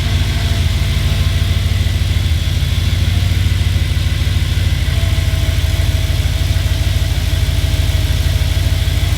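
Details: Audi B7 RS4 cold start after a new sensor was fitted: even idle with a steady low pulse and a constant secondary air pump hum; the SAI is working well and an earlier cold screeching sound went away.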